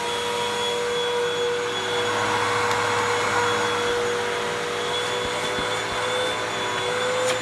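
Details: 2012 Hoover WindTunnel 2 Rewind UH70820 vacuum, salvaged and tested: steady, even high whine with constant airflow rush and no grinding or pulsing; motor healthy, though it smells terrible.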